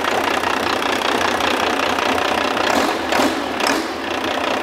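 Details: Diesel engine on a test stand, fed from a battery cart, oil pressure 52 psi at idle: steady diesel idle with an even clatter and no uneven knock or miss; healthy normal idle.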